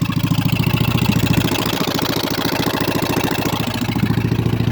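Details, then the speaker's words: Mud mower running again after the foot throttle was rewired correctly, governor still in place, on open pipes: loud, even, rapid exhaust pulses with no misses or knocks. It runs well. "well uh it runs runs good actually i hope you guys can hear me over the open"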